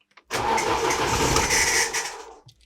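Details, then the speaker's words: 2008 Chery Jaggi 1.3 petrol towed in with immobilizer code P1614 (key not recognised); after refitting the key chip, fuel pump primes, short crank, engine fires and runs about two seconds; starts, key now recognised. "так наче схватує спробуємо ще раз раз чу ти насос знову відпрацював Та ти що машина заводиться"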